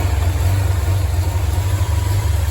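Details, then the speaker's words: Datsun 240Z engine running after first start: low steady idle rumble with even pulses, no knocks or misses; good oil pressure, temperature holding, idle mixture may still need adjusting. "still need some more adjusting here and there maybe the idle mixtures and stuff and whatnot but still learning how to do that but I'm happy that it's running now I got good oil pressure uh temperature seems to be holding okay yeah we got her going"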